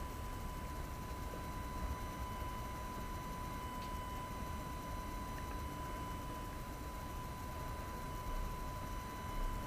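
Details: AFI VS-3SG 3-axis handheld gimbal, low-cost, recorded at night with no surrounding sounds: thin, steady high tone throughout from the stabilising motors; gimbal motor noise audible in recorded video.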